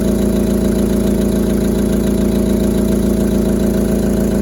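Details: VW Polo Sedan, 2010, 157,000 km: at idle a steady rhythmic knock, a little over two beats a second, under a low hum; internal engine knock of unknown origin.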